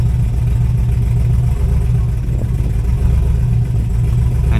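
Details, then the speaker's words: Chevrolet Camaro with unresolved misfire, in park at idle in reduced-power mode, no code stored; low throbbing idle keeps rising and sagging in uneven waves, idle surging, cause not confirmed. "yeah you see like that's not me man it's just spiking back in idle in park and it's it's idling low"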